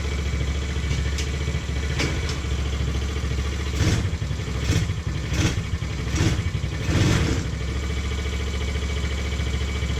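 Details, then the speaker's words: TaoTao 125 re-jetted with a Dynojet kit, fresh oil change: a small single-cylinder at steady idle sitting slightly high, with brief throttle blips. The owner suspects a worn cable, not the bottom end; he says it typically goes away once warm. "It's got a little bit of a higher idle, and I think that's just due to the fact that this cable is just kind of shot, and Definitely not coming from the bottom end, so I'm not sure what that is."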